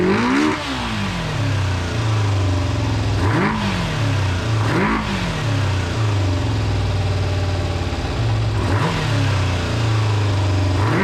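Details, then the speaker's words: GPz400R four-cylinder track bike, carbs recently dripping: each rev rises slowly and sags back, flat and hesitant with some popping; bogs when revved, owner suspects fuel. "it's bogging down a bit i'll show you when i rev it it really does bog down which is another reason i think it's um fuel rather than anything else"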